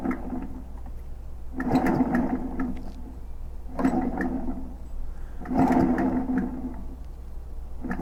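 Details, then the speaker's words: Echo PB-500H blower, not idling and running poorly, pull start inspected, still noisy: slow pull-cranking about every two seconds with rough scraping drag each pull. "hmm very weird so that's where it should be that's still making the noise so it's not like something's misaligned"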